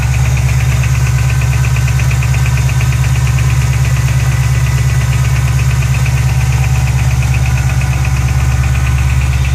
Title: GT500 Ticking noise during cold start